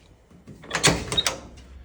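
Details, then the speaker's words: Jeep J20 clutch pedal: after long free travel before the clutch grabs, a few sharp clunks sound as the pedal goes down. Something is likely loose in the clutch linkage; cause not yet confirmed. "when I'm pushing on the clutch pedal, that's quite a bit of play there before it grabs, and then there's that noise. So, not sure what that noise is, but it's something that I need to look at."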